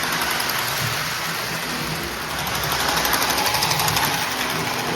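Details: Postwar Lionel 671 turbine toy steam locomotive (686 steamer, 671W tender), after 25 years in storage, then cleaned, overhauled and adjusted with smoke fluid added, runs 2–3 minutes: even electric whirr pulsing about four times a second, no grinding or catching. Normal running.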